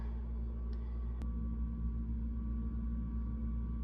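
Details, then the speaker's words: Garbage disposal in a rental house switched on: a steady mains hum drones with no spin-up or grinding while the motor nut under the unit stays still; motor stalled or jammed, reset switch and 6 mm Allen key checked underneath. "So when I turn on the switch, you can hear it trying to buzz, but nothing is actually happening down in the sink."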